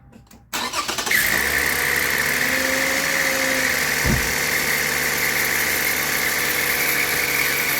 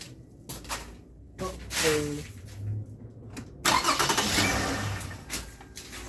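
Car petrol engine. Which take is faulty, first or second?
first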